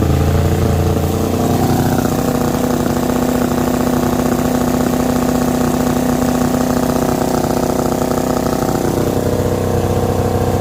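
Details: Rebuilt diesel genset from a Tiara boat on a bench test with exhaust into a makeshift muffler can: steady, even diesel chug at constant speed with no knocks or misses. Output reads 135, no leaks seen.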